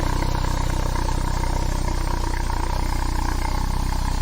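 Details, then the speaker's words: Citroen BX at idle, exhaust with non-genuine front pipe, sooty from diesel: deep even pulse about 3.5 beats a second with heavy low boom; exhaust louder than before, sounds like a tractor. "Ooh, I'm not sure I like that. I thought it sounded quite subdued before, but that's that sounds like a tractor."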